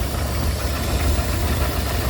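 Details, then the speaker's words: Rolls-Royce Silver Shadow II V8, revived after years in a field, after new spark plugs and carburettor cleaning: low, even, steady rumble with no stumbling. Idling smoothly on its own; a belt issue is still noted. "You see there's there's a bit of an issue on there, but at the minute she running on her own steam."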